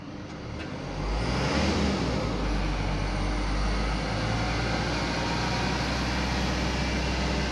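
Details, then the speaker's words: Euro 4 diesel truck, engine revved; a steady low drone holds one pitch and does not follow engine RPM, coming from the audio system speaker, not the engine; speaker hum independent of engine speed. "Bengungnya enggak mengikuti RPM mesin. Bengbengungnya itu masih sama ya. Kadang orang itu bingung dikira mobilnya yang rusak atau mesinnya bermasalah atau kendala yang lain."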